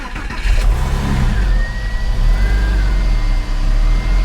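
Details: Porsche 996 911 starting right after alternator replacement, low on fuel, no coolant in system; catches within a second, flares briefly, settles to steady even idle, no misses or knocks, charging rises from about 12 to just under 14 volts. Normal start.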